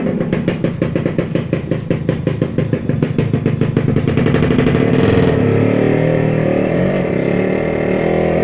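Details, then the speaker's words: Yamaha F1ZR 110 two-stroke with 15-tooth front and 33-tooth rear sprocket climbing a hill: revs climb with a quick regular beat, then flatten and labour; power fades uphill from a leaking crankshaft seal. "ini sangat berat sekali jadi tanjakan sekitar satu meter setengah aja tenaganya loyo sekali"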